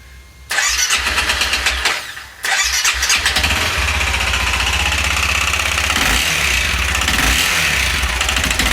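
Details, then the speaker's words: Honda CRF250L with 305cc kit, bad piston rings blew oil into the airbox, starts, falters, then runs with loud harsh metallic rattle and hammering; connecting rod knocking on the crank. "so yeah it runs but you can hear the connecting rod bouncing around on the crank so it's gonna hammer itself to pieces is what's gonna happen"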